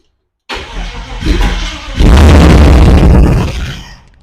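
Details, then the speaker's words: Holden VK Commodore 5.0 V8 after electrical faults fixed to restore spark; fuel pump not connected, so it runs only on spray down the intake; brief crank, catches and roars a second or two, then dies. "so I have spark it now fires uh only running off just spraying something down the intake at the moment because fuel pump's not connected"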